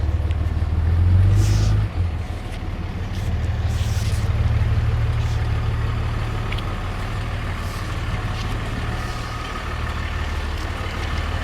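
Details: Blue Cummins diesel pickup at idle with a steady rattling slap about three times a second. The serpentine belt shredded the day after another shop replaced the power steering pump.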